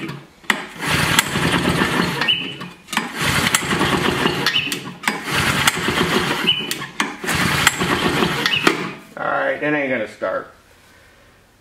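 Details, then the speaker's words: Vintage Flymo hover mower, two-stroke, fresh two-cycle mix. Repeated recoil pulls sputter but never catch. The carburetor floods and leaks gas, suspected sticking needle and seat; a carburetor teardown and diaphragm replacement are planned. "pull the carburetor apart all right so those pulls when i fold it up here on this little table started leaking a bunch of gas out of there which tells me that the needle and seat is probably sticking"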